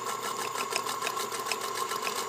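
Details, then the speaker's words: Singer Featherweight 221 sewing linen at medium stitch length with new size 16 Organ needle, freshly greased, oiled, new belt: quiet, even whirr with light regular tic-tock from the turning spool, no knocking or grinding; healthy machine. "the tic-tock is actually the spool that you hear turning there"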